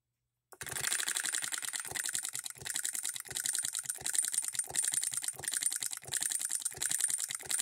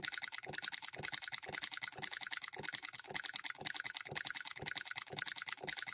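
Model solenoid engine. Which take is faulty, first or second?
second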